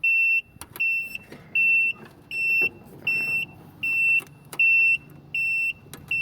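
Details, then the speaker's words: Dixie Chopper Silver Eagle 2750 mower with Generac engine: steady high beeps about one a second at key-on from the oil pressure/temperature sensor, replaced two days earlier. Normal low-oil warning beep. "that makes it beep when the key turns on and eventually over time it will ground out by itself it's normal and just you'll hear continued beat that's how you'll know you need to replace it"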